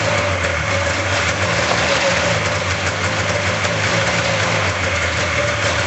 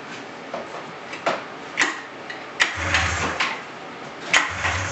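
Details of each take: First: 1999 RMK 500 snowmobile two-stroke, first run after cylinder block back from machine shop, on premix fuel with bowls primed: steady even drone, no knocking or surging, smoky; runs normally. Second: 1999 Polaris RMK 500 snowmobile after rebuilt cylinder block: sharp irregular pull-start bursts, a brief sputtering catch that dies; cranks but won't run, fuel filter barely filling, fuel pump or tank pickup suspected.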